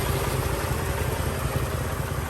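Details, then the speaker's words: 2003 Mercedes-Benz E500, rear-wheel drive, 5.0 V8, 162,000 miles, at idle: a light, quick ticking over the rumble, attributed to the catalytic converter; exhaust leak suspected, not confirmed. "Just that annoying ticking coming from the catalytic converter."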